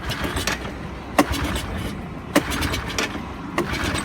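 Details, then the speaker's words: 1984 Honda ATC200ES Big Red trike, sat for years, first start attempt, no choke: three sharp pulls with hiss between, firing once or twice but not catching; air box full of gas, flooded, suspected sticking float. "to see the singing star there's smoke romantics also it is firing maybe a little might be flooded from the gas cellphone"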